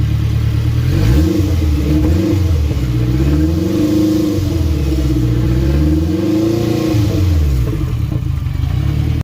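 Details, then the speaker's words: Acura RSX after a Humble Performance turbo kit install, running on a loaded map; a MAP sensor issue from a bad wire was fixed. Smooth revs rise and fall cleanly from a steady idle, no misfire or rattle: normal running. "Car's running good now."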